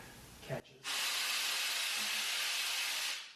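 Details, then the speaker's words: Handy Industries Standard 1200 air-powered motorcycle scissor lift lowering: steady hiss of venting air for about two seconds, then quiet as the lift drops onto its safety catch; normal. "and there it is right there and then to lower it we'll actually lift it back up just a little bit disengage that"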